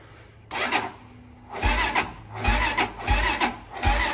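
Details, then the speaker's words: Honda TRX400EX ATV with blown motor, cranked off a brand-new jump pack charged all weekend: starter grinds over sluggishly in four laboured bursts, about one compression stroke a second; the pack is too weak to crank it. "This old weak-ass jumper's brand. Supposed to be full. Been plugged in all weekend. That ain't near enough to crank it."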